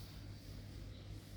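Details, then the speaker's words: Chevrolet Captiva diesel engine after a full overhaul, reinstalled with the gearbox and started for the first time. It has a low, even diesel rumble with no knocks, misses or rattles. This is a normal, smooth idle. "Đó, máy làm nổ nha anh em, ro kia ro nó quay nè, nổ im gu luôn,"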